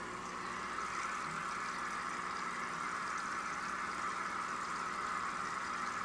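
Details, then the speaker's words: Nisso MUTE DC600 piezo USB air pump, mic moved close to the aeration; soft steady fizzing hiss of bubbles, no hum or rattle underneath; pump itself near silent. Normal aeration bubbling. "It's not completely silent, but in the actual usage environment, the sound of the air in the back is louder, so I do n't really care about it."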